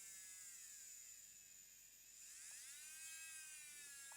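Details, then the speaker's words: JSDA JD8500B micromotor drill on a test hookup to a power station before the DIN socket is replaced: high, steady electric whine that drops and climbs again as the speed is changed, smooth with no grinding; the micromotor runs normally. "can I change direction it stopped it clicked and it reverse so looks like it's working"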